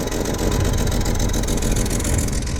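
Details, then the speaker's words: Daily-driven Chevy II Nova 250 (from a '67) on its old, leaky, apparently original Rochester BV1 one-barrel carburetor, exhaust donut gone, running while the new radiator bleeds; lumpy rough idle, running poorly since a clutch job. "I mean it runs but it doesn't run super hot as you can tell not very fun as I daily drive this"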